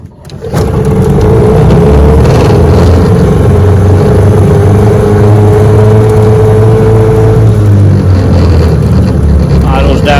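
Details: 1996 Johnson 15 hp outboard after carburetor repair, test run in neutral: steady, even two-stroke buzz, constant tone, no misses or surging; idles cleanly, healthy.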